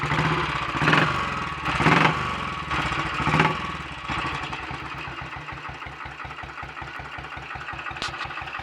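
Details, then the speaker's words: Royal Enfield Bullet 500 single, ported head, shortened aluminium barrel, 9:1 piston, ignition timing strobe-set, still cold: after early blips, even slow low thumping tickover, no knocks or misses; good runner, ticks over faster when warmed up. "so there we are we've got a good runner i want to say warmed up a bit it ticks over a little bit faster than that"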